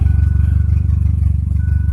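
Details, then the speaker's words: Mazda Probe on an untuned DIYPNP ECU, cold start in the first freeze: rapid, even low chugging that does not idle up at the start, rising only once running. Coolant temp calibration is still pending. "kind of wanted to idle up there for a second she does not like the cold start it's not reacting like it's not the idle air control valve"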